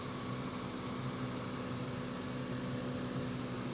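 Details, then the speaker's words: 1996 Ford Mustang GT convertible, AC compressor had been cycling from low refrigerant, while recharging with R134a at about 90° outside: steady engine drone with constant low hum, compressor no longer shutting off; normal AC compressor operation. "well the compressor is certainly not shutting off"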